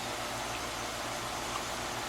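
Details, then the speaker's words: Heat pump outdoor unit after replacing a wrongly fitted 45/5 MFD dual run capacitor with the correct 40/5 MFD and installing a new disconnect. Steady even fan rush with soft low compressor hum, no rattles or buzzing: runs smoothly. "Man, that sounds so smooth now."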